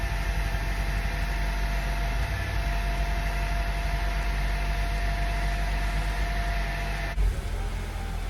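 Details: 2003 Acura RSX just after fuel pump replacement, key cycled to prime before start: engine holds a steady, even low-rumble idle with no misses or stumbles; runs fine.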